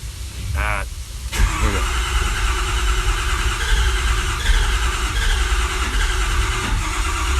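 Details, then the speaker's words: 6.4 engine with its fuel system never opened: steady, even starter cranking, but it never fires. Internal failure inside the fuel pump is suspected, since pressure should have built up. "it should have fired it should have built pressure so we've got what i'm gambling is uh internal failure inside the pump"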